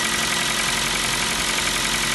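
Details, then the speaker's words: New Kia Rio 4 with 1.6 engine at idle: fast, light metallic ticking riding steadily over a busy idle; owner calls it piston slap, the same familiar sound the Kia Rio 3 had. "старый знакомый звук. Звук поршней Kia Rio 3. А у нас Kia Rio 4."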